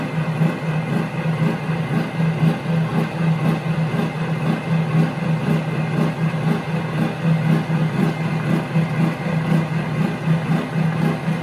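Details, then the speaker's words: Omega high-pressure air compressor: steady low drone with slow even pulse about once a second; owner feels it pumps slowly compared with Yong Heng. "Now, I'm going to give you a demonstration of why I feel that this is a slow to me versus the Yong Heng. The Yong Heng pumps up quick."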